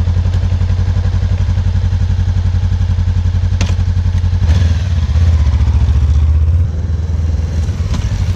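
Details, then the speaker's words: Honda CB500X motorcycle: steady idle thump, then one loud solid clunk as first gear engages from neutral; this loud gear engagement noise is normal for this gearbox. "na sequência eu vou ligar a moto e vou mostrar pra vocês um barulho que ela faz quando alan engata machucar você vê que na sua vai ter o barulho é exatamente igual"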